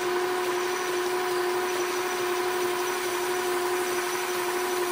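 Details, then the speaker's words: Logan lathe turning 7 in. round aluminum bar with the carriage locked, feeding in: steady high ring near 350 Hz over constant cutting hiss; tool chatter, though it now cuts all the way through. "getting some chatter there but it's cutting all the way through now that I locked the carriage which is a good sign"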